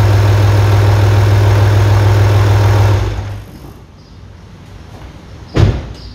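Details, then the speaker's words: 1998 Audi A4 2.5 TDI (AFB engine) after timing belt and water pump replacement for a leaking water pipe: steady, even low diesel idle, no knocks or misses, then clean shutdown; normal start and idle. "que veáis como el coche arranca perfectamente después de hacer toda esta distribución con la del desmontaje de la bomba porque tenía un tubo picado de agua"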